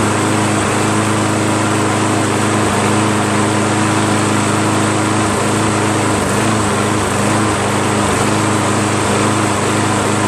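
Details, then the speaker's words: Toro Recycler 22" Personal Pace 20068 mower, Briggs auto-choke engine with new carburetor, smoke cleared from hydrolocked muffler, governor spring adjusted and rpm now a little high: steady even buzz, constant pitch, no surging; normal running, governed speed slightly high. "okay so got the carburetor on there got it started up runs pretty well uh got rid of all the smoke and the muffler cuz it was hydrolocked and um seems to run well"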